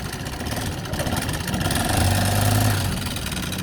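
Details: Honda ADV150 scooter idling with a loose, uneven top-end tapping; the timing chain already checked OK, so the valves, rockers and camshaft are suspected, and the engine is being removed to inspect.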